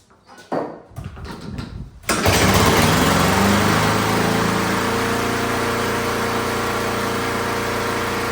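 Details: Fairly new lawn mower that had no fire and smoked, possibly flooded: a few sputtering pulls, then it catches and settles into a steady, even buzzing run with no misses or surging.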